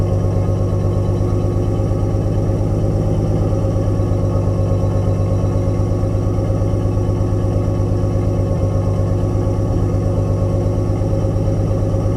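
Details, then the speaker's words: Nissan 240SX S13 with RB20DET inline-six: low steady idle with uneven stumbling exhaust beat, running on 5 cylinders, more noticeable under slight load; owner suspects a bad ignition coil. "I did notice the misfire coming in. You may have heard it in the footage. It seems to be definitely running on 5 cylinders as I kind of loaded it up coming up the driveway a little bit."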